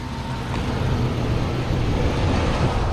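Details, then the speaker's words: Work truck idling right after an oil change and a dipstick check showing it full: a steady, low, unbroken rumble with no knocks or ticks. No leaks were found, and it idles healthy. "Start it up. She's running healthy. Yes, sir."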